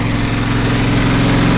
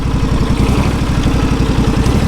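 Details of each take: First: John Deere SST16 zero-turn mower, unstarted for about five years, running after carburetor work with probably year-old fuel, on choke: steady small-engine drone with uneven wavering idle; carburetor needs adjustment, mixture suspected off. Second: John Deere SST16 zero-turn mower with 253 hours, not run for about 5 years, now running at full throttle. Steady, even engine beat with no knocks or misses. It idles slightly rough, and the owner suspects bad gas.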